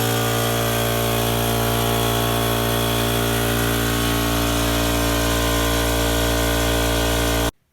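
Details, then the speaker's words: Craftsman electric air compressor filling a portable air tank to about 100 psi, regulator set just over 100 (tank rated 125, compressor can make 150): steady loud motor drone with fast even pumping beat and hiss, no knocks or squeals; normal running. "and what I'll do here is go ahead and turn the air on, and then I'll bring the compressor on."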